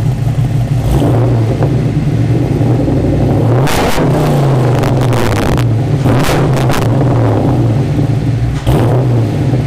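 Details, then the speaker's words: Cammed 1999 Mustang GT V8, first start after build with full exhaust, awaiting new tune, in garage: deep burble rising and falling cleanly on throttle blips, slight lope at idle, less cam lope than expected; normal revving. "pretty happy with the way you know the tone is I do wish there was a little more of the noticeable cam lope that you would normally get bu"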